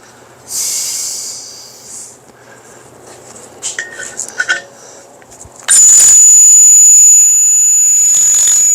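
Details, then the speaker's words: Drilling metal with a roughly 1/4-inch bit: after handling noise, a piercing steady high squeal starts once the bit bites and holds; the bit is dull but still cuts some metal. "Hear that squeal? That means it's not sharp. But it's still taking out some metal."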